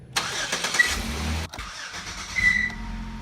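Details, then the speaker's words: 2008 Chevy Equinox 3.4 V6: engine cranks and catches with a brief high chirp from the accessory belt drive; belt change didn't fix it, later thought possibly due to failing harmonic balancer. "we had a chirp on startup so every time you start the car you'd hear a chirp from the accessory system"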